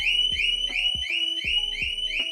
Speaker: And then if you keep moving it, it's gonna go crazy.